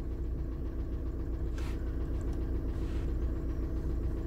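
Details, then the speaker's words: 2000 VW Jetta TDI diesel, warm, after head install with used piston and rod: even low diesel clatter at steady idle, about four beats a second, no misses or knocks; normal idle. "there's that VCDs light right over there she's been turned on it is warm already so there it is success right"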